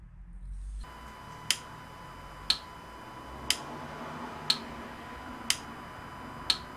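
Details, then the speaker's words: Citroën Berlingo 1.6 HDi (DV6 engine) after a glow-plug fault repair, glow plug relay tested via iCarsoft CR Pro, camera on the engine side: crisp single clicks once a second, the relay now working and the test passing. "Ok, là il me dit que le test est conforme et vous l'avez bien entendu sur la caméra qui est côté moteur que le relais de préchauffage fait le travail."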